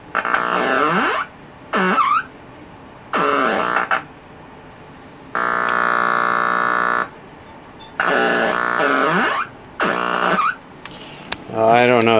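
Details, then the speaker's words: Packard Bell 35 AM radio tuned across the band, local oscillator not running (657 kHz with tuning cap fully open): whistling squeals sweep up and down, no station. Taps, resistors and caps adjusted with no difference; owner suspects corrosion. "thing just makes a good noisemaker I tried changing some of these taps that made no difference"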